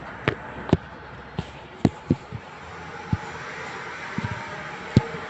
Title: Strange Noise inside my tyre mags